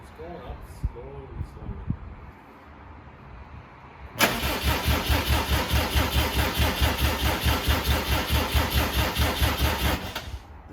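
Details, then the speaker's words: 2007 Subaru WRX swapped to an STI engine, first start attempt; starter spins the engine at an even two-per-second beat for six seconds without firing; crank no-start because crank gear timed incorrectly (wrong marker suspected), so correct signal not seen. "so this is why we're not getting a start because as you can tell the crank gear is not timed correctly therefore it's not seeing the correct signal to let it run"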